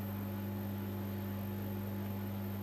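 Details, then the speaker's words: Bendix compact 7159 washing machine, unused for a while, won't start on whites, tried on rinse: steady, unchanging hum with a strong low whining squeal; the drain pump runs permanently and won't shut off, cause unclear. "so that don't think noise you can hear is the pump itself and anyone remembers my boss washer dryer does exactly the same kind of squeals because obviously it hasn't been used for a while"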